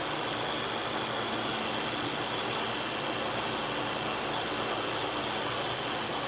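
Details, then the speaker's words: Hair clipper running: even, steady buzz with a smooth hiss, no rattle or pitch change; not noisy, running normally. "This one is not real noisy. We'll find a noisy one here in a minute."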